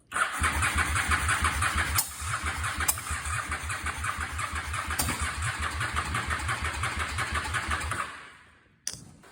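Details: 2004 Honda Shadow VLX 650, battery likely low: starter churns about three compression pulses per second for eight seconds, never fires; cranks, no start; bad starter solenoid cited.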